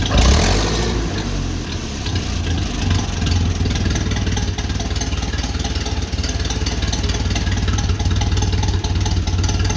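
Old tractor engine catches after a loud start and settles into an even, steady low chug with no knocks; runs healthy.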